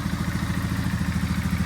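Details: 2002 Polaris Sportsman 500, rebuilt engine converted from 425 to 500, with new stator, CDI, fuel pump and fuel lines and adjusted carb, first start: steady, even single-cylinder thump at a quick idle with no misses or surging; normal idle.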